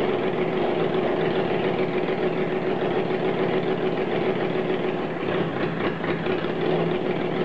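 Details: Motorcycle first start after engine rebuild, a bit of choke applied: steady idle with a fast, light patter and faint mechanical whine, holding speed without stumbling.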